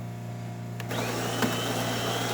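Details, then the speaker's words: DeLonghi Magnifica XS after full service (mechanical replaced, descaled), making a double test shot: quiet hum then grinder kicks in with even, steady whir, no grinding or rattling; normal grinder operation. "which means that uh the grinder will go off burn the coffee into your machine you'll hear it"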